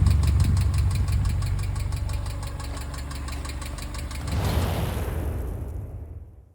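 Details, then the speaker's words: Subaru EJ engine in a VW Syncro Doka conversion, recorded close up at operating temperature: fast, even ticking about four per second over the idle until shutdown from bad hydraulic lifters, later replaced. "today, i show you how to cancel noisy lifter sounds on a Subaru EJ engine exemplary on this beautiful syncro doka listen to that rattling noise close up at operating temperature"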